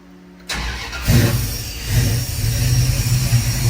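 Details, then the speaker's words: 1970 Dodge Challenger with 440 V8 and FiTech fuel injection, started after new spark plugs (was skipping badly before): cranks and catches at once, then a strong even idle with no skipping; sounds healthy. "Let's go listen out back. Sounds pretty good to me. Sounds damn good."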